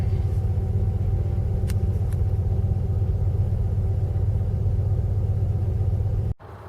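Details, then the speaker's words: 1995 Jeep Grand Cherokee 5.2 V8, cold start at 22 degrees after throttle body cleaning and Seafoam. It had been hard-starting below 35 degrees with a stuck 1200 rpm high idle. It cranked right up and settled into a deep, even, smooth rumble, then was shut off. "Well, it cranked right up this morning. It's 22 degrees. So maybe the throttle body cleaning and or the seafoam took care of that problem."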